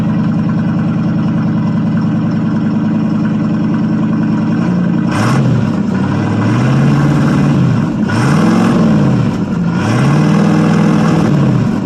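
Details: 1979 Chevrolet C10 Bonanza Big 10, 305 two-barrel V8 with glass pack exhaust, after cold start: deep steady idle, then clean quick rev blips rising and falling smoothly without misses or knocks; healthy.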